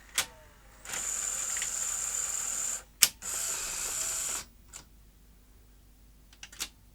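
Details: Sony SL-HF600 NTSC SuperBeta VCR, after the mechanism was fixed: clean clicks, two smooth motor whirs with a sharp snap between them, then soft clicks; the cassette eject cycle is normal.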